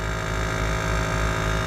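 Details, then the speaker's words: PTAC through-wall air conditioner not cooling: loud strained compressor hum with no fan whoosh, compressor amps climbing to about 6 A because the outdoor condenser fan motor isn't running; overloaded compressor from failed condenser fan. "super loud that compressor really not sounding well"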